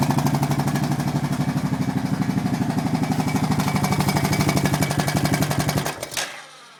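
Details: Honda Foreman single-cylinder idling with fast even ticking about three per second until shutdown; valves already adjusted correctly, owner suspects timing chain, unconfirmed.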